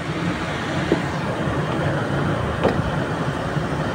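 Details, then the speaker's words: Belt-driven air-con fan after the noisy V-belt's pulley and fan motor were aligned and adjusted. Steady, even whoosh with a low hum and no belt squeal: normal quiet running. "So nawala na yung kanyang ingay. Ayan okay na siya."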